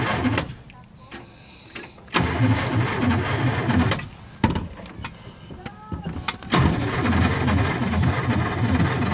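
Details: Desoto S11, slow starter with 4-terminal solenoid drawing excess current: two bursts of slow, labored cranking with rough metallic grinding under the starter's churn.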